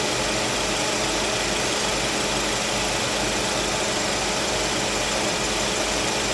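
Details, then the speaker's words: Suzuki Swift at 110,994 km after replacing a dead condenser fan motor and adding compressor oil. Steady fan whoosh over the idle with no rattle or squeal; the compressor cycles normally and the vent reads 5–7°C at 30–32°C outside: normal fan and AC. "อันนี้นะคะก็จะมีเปลี่ยนตัวมอเตอร์พัดลมนะคะอย่าพี่ตอนแรกนะคะตัวพัดลมไม่ทำงานนะคะตอนนี้พัดลมทำงานนะคะ"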